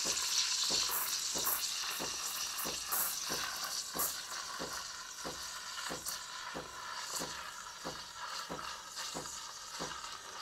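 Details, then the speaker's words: Espresso machine steam wand (CRM3605) steaming milk in a pitcher, milk level risen over the tip: soft steady hiss with only occasional faint ticks, milk rolling quietly; normal rolling phase. "치식 소리가 거의 안납니다 높이가 높아졌기 때문이죠 뭐 간헐적으로 한 번씩 날 수는 있습니다"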